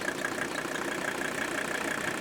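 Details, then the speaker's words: Mercedes 300D OM617 turbo diesel outdoors after fitting rebuilt, tuned fuel injectors: even, steady diesel clatter at idle with a regular light knock, no misses or stumbles; healthy normal idle. "look at that and we've even got it idled down I know I'm going to have to do something about this but at this point this is one amazing turbo diesel engine"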